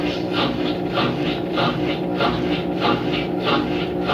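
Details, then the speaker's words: Ative washing machine self-test, spin step entered automatically after draining: steady whoosh with a soft rhythmic swish about every 0.6 seconds, even and unstrained; normal spin noise, test then finishes. "Esse barulho é normal que ela faz. Aí, o teste terminou."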